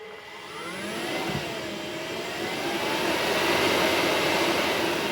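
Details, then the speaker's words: HPEVS AC-50 electric motor on a 144V controller, after changing the controller motor type from 24 to 50: smooth rising electric hum tracking speed with no shrill whine; more torque, the whine is gone. "no more whine. So, that's a good thing."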